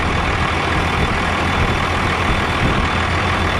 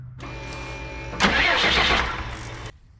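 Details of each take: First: 2001 Freightliner bus conversion, 24-valve Cummins diesel, just after fuel filter change and fuel system bleed: steady, even idle with smooth low rumble, no stumbling or misses; normal diesel idle. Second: 2001 Freightliner bus conversion with 24-valve Cummins diesel, after fuel filter change, bleeding at the loosened 17mm supply line from the filter canister: brief starter whir, about 1.5 s of cranking, no firing; no-start from air in the fuel system.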